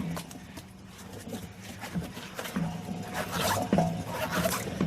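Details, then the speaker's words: 2008 Chevy Suburban 2WD 5.3L V8 front wheel hub turned by hand: rough, gritty grinding with squeaky rasps; hub barely spins and is loose, clicking; growling while driving; worn bearing, hub to be replaced. "that's how you can tell a bad wheel hub bearing plus when you're driving you hear the noise the squeaking you're growling and this wheel barely wants to spin this hub this hub had it you can just listen to that grind"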